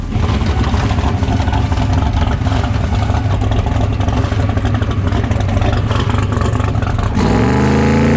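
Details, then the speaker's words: Drag-race car launching at the strip: loud, ragged, uneven roar under full throttle, then revs fall off as the driver lifts to avoid blowing the engine; rough running under load after technical problems, cause unknown. "uh oh something's wrong with the car she doesn't sound right and i can see brandon through the windshield he is not happy"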